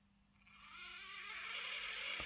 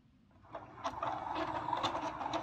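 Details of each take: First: Lima Eurosprinter model locomotive on the bench, just after oiling the very dry worm gear shaft where it passes through: light, even high-pitched whir rising and holding steady, no screech; oil fixed it. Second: Lima Eurosprinter model locomotive under power: thin squeal over uneven rattling, reluctant to pull away, something loose inside; owner suspects it needs lubrication.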